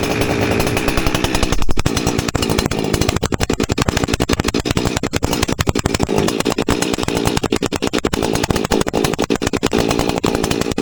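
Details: Husqvarna 359 chainsaw after inlet boot replacement, with modified open muffler and richened high jet: loud rapid two-stroke crackle firing cleanly and evenly, revving up and holding speed; normal running.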